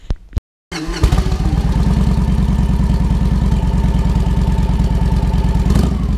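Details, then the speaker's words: Victory Vegas Jackpot V-twin after fuel pump replacement: fires straight up and settles into a steady, even loping idle with no misses. Running normally. "Got it slipped in, and sure as shoot, fired right up, acted right, didn't give me a fit, no problems. It's running like a champ. It's just awesome."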